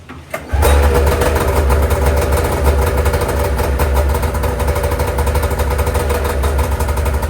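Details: First startup of a freshly rebuilt DitchBanger race sled two-stroke twin with new V-Force reeds and a freshly coated exhaust Y-pipe and pipe: it fires, then drones lumpy and uneven. It seems to run on one cylinder, the exhaust sounds plugged, and the servo motor isn't cycling. Cause unconfirmed.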